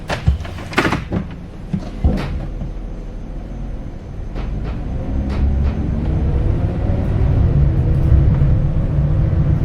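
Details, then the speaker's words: 2018 Ram ProMaster 2500 high roof van interior, second test drive around 25-40 after Kilmat sound deadening on the rear and both doors: steady low rumble with a few knocks, treble and mids reduced versus before. "I'm not sure how well the microphone picks it up but it does have more of a lower bass tone to it than before all the treble mids are kind of gone out of the noise I heard in the back"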